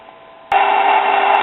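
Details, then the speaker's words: Late-1950s GE portable AM tube radio, stopped working after about 45 minutes: speaker gives steady static with a few whistles but no stations while tuning; 455 kHz passes through, so the converter oscillator has likely stopped. "as you can tell it's passing a signal of 455 kohtz so that tells me that most likely the oscillator has stopped working"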